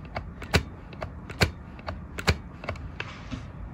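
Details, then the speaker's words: Suzuki Bandit 600 being reassembled: sharp dry clicks roughly every second as throttle grip is turned by hand, snagging and not snapping back; throttle catching on something below. "it feels like it's catching can you hear that it is catching on some down there"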